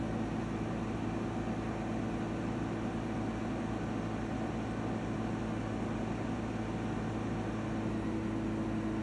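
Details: EcoFlow WAVE portable air conditioner running: loud unpleasant steady drone with fixed humming tones over rushing fan; cause unknown.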